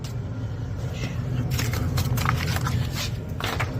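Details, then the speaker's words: Two-stage gas furnace with a newly installed draft inducer motor running at second stage, drawing about 1.0 amps. Steady low hum, even and unwavering, with no rattle or bearing noise; sounds healthy. "Oh, that sounds like second stage."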